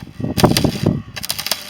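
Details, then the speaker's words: Parkside PESG 120 B3 basic (non-electronic) stick arc welder: poor arc striking, the arc crackling in short broken bursts with dropouts and refusing to hold steady on the strike. "L'amorçage, il est pas terrible non plus, hein, forcément."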